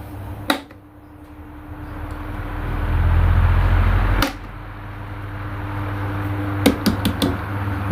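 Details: Sharp electric fan on speed 1 after being taken apart and reassembled to fix a knocking noise: steady hum with no rhythmic knock, a few scattered clicks from handling; normal running, no knocking.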